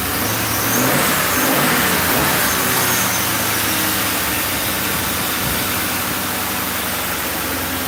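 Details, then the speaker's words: 2005 Ford Crown Victoria police V8, started after a spark plug change (old plugs had 30,000 miles), with spray in the intake. A brief ragged stumble for a couple of seconds, then a steady, even run; engine fine. "so it'll be rough for a couple seconds and then fires up because we're spraying [ __ ] inside here and it has to it has to [ __ ] it has to run that"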